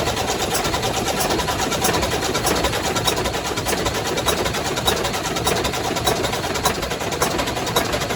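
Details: Volvo FH600 truck, 16-litre D16 diesel, after repair for cylinder rust and a bent valve: steady idle with an even, light ticking of about 100 a minute and no knocks or misses. Normal idle.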